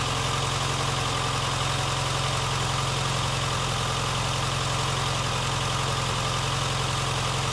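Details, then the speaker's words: Barn-find Austin Maestro carburettor engine, cold, with the idle raised. The idle has an uneven lumpy beat and won't settle. It is running rough and the owner plans to warm it up, push the choke in and adjust the idle and mixture screws. "what I may have to do now is I guess get it running and get it kind of warmed up and idling nicely and stick the older choke all the way in and just play with the screw uh the idols through and the fuel mixture I guess"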